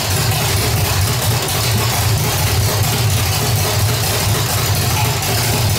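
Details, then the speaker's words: 1985 stepside V8 with headers, an aggressive cam and Harland Sharp roller rockers, claimed to be a 400 hp Corvette motor, with a gummed-up carburetor: loud, steady idle with a rhythmic loping cam beat. Sounds healthy. "definitely sounds good you can definitely hear a little bump in the cam and uh sounds pretty healthy"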